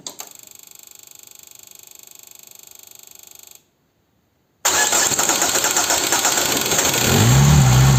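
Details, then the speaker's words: Peugeot/Citroën 1.9 diesel DW8 engine, cold, with leaking injection pump advance solenoid valve: even cranking about four turns a second for over three seconds, pause, then fires; hard start from air in opened fuel system, needs priming. "Well now we have it started and ready for you It has cost so much because the pump is open. Well, it hasn't gotten much air out there."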